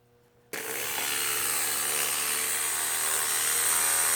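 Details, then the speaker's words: Osias Bosch 044 knockoff fuel pump bench-tested running dry with no fuel through it: loud steady high-pitched whine with a hissy edge; expected to be quieter with fuel flowing. "this is just a sound test to see how it sounds I'll just put it on for a short time because it's not good to have a fuel pump running when there's no fuel going through it - this is what it sounds like"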